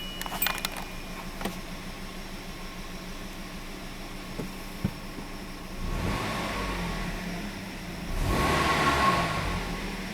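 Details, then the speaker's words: 2008 Kia Rio with flashing check engine light, P0300/P0301/P0303, loss of power and bucking; after a new ignition coil on cylinder one (misfire seen under load), calm, even cabin hum on accelerating, no stumbles or bump on throttle snap: misfire gone, engine smooth. "definitely not feeling any more misfire feels steady"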